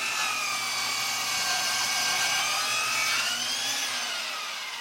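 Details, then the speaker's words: Dovaman DMS01C 10-inch sliding miter saw cutting pine at a 45-degree angle: the high motor whine sags as it loses a lot of rpm, then climbs back as the cut finishes. Motor bogging under heavy load. "That definitely maxed out our saw. Took a little bit longer, and the saw definitely sounded like it lost a lot of RPM during that cut."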